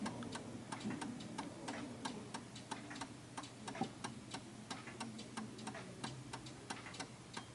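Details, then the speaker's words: 1930s Enfield oak-case 8-day striking mantel clock after the beat adjustment was pushed further. Even, steady tick-tock at roughly ninety beats a minute with no limp, so it is running in beat. "That sounds absolutely perfect. And the reason why it does is because the tick tock is perfect."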